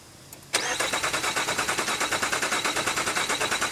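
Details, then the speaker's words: Nissan Quest, crank no start after fuel pump, ECM, cam sensors, coils and plugs were replaced; coil and injector not firing; mic close to the engine: cranking about three beats a second with uneven beat strength, suggesting a low cylinder. Suspected, not confirmed. "so if you could hear that it kind of goes and we know it shouldn't do that right that's a uh you know what we would think is a low cylinder"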